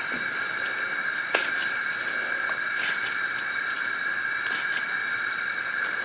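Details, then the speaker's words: 1984 Craftsman lawn tractor Briggs & Stratton engine, 40 years old, no compression, engine off during a leakdown test: constant airy hiss of air escaping out the exhaust. Exhaust valve looks seated but may be cracked; leakage at the intake too. "that's coming out the exhaust so the exhaust maybe is cracked a little bit even though it didn't look like it was it looks like it's on its seat"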